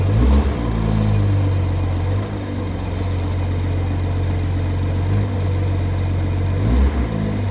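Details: BMW at steady low idle, with a VRSF 200-cell sport catalytic converter fitted: short metallic rattles every second or so from underneath. Owner suspects a wastegate rattle rather than a heat shield. Not confirmed.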